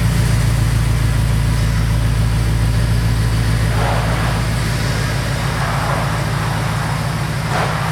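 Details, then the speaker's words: 2002 Chevrolet Silverado 2500HD after replacing front driveshaft U-joints, driven hard under load; steady deep engine drone with no squeak or chirp rising with road speed; earlier squeak gone, driveline normal. "So it seems to be working good. I don't hear the noise. I'm pushing it pretty hard and I haven't heard the noise."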